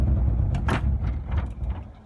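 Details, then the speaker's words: Nissan 300ZX with an unexplained misfire: low, uneven idle sags and dies within about two seconds as the clutch comes up. It stays running with throttle held and smells of fuel; previous owner named the fuel dampener as one possible cause. Stalling at idle, cause unconfirmed. "idle a little bit and then if I get my foot off the clutch it just dies out"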